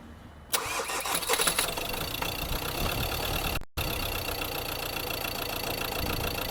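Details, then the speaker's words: Ford Transit Custom Mk7 long-wheelbase diesel, recently bought with poor idle, over-revving and an oil leak: cranks, catches and settles into a clattery, uneven, slightly unsteady idle; smoking, oil cap not seated properly. "that's it basically running it's not running the best"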